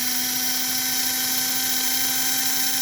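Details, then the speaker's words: 1946–48 postwar American Flyer locomotive chassis motor bench-run at about 12–13 volts, with a slight tick somewhere in it: steady high whine with a hissy edge at constant pitch; motor spinning freely and strongly. "But listen to that motor. Holy moly. That's only 12, 13 volts."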